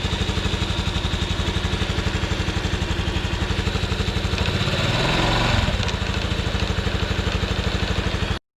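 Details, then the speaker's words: Honda NBC110 just fitted with a 130cc big bore kit and a ported exhaust, cold at about 5 °C with the fairing off; even single-cylinder thump at about four beats a second, smooth and extremely quiet, no knocks: normal cold idle. "Oh, I like that. Extremely quiet."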